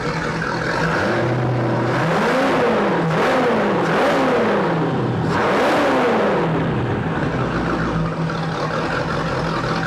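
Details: 2000 Volvo Penta 5.7 GS PEFS V8 inboard from a 2000 Glastron, 526.5 hours, 190 psi all cylinders, fresh oil and new plugs, warming up: even rumble climbs smoothly with each throttle blip and settles cleanly, no knocks or misses; runs good.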